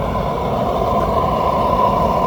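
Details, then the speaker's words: Rebuilt kiln gas burners with regulator raised to about 6, judged very high for an updraft kiln unless it is big: steady, even roar with strong forced-air rush, no sputter or flutter; burners firing hard at high pressure. "So this is pretty high. This would be pretty high to run an updraft kiln at, unless you had a big kiln. Like that sound right there to me is very high."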